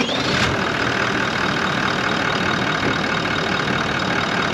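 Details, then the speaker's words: 79 Series Landcruiser after a new replacement motor was fitted following the old engine blowing up, first start: even, steady idle with no knocks or ticks, noticeably quieter than before; smooth, healthy normal idle. "Sounds quieter. Woohoo! How good is that? It sounds a lot quieter, doesn't it? Idles nicely."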